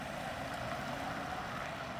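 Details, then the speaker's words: Lexus with open front and rear differentials and an unlocked transfer case, turning in a tight parking-lot circle: steady, even drive noise with no chirp, hop or binding, normal operation. "really there is no chirping there's no real binding here the vehicle is turning just fine and that's because the differential in the transfer case is allowing the front and rear drive shafts to spin at different rates"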